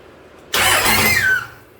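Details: 2001 Dodge Ram Cummins turbo diesel swapped into a 1952 Dodge M37, first start on one jerry can of fuel: about one second of fast cranking with no firing; air in the fuel lines.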